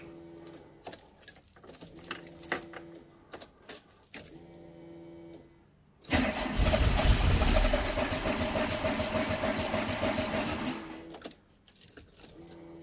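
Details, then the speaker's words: 1990 VW Golf MK2 GTI, long-stored non-starter, after fuel pump repair, battery reconnected and fuel primed: several seconds of uneven cranking, catches roughly, runs about five seconds and dies; suspected low on petrol. "Maybe it does need petrol. Yay! Yay, sort of. Oh, you bugger. I think it is low on petrol as well."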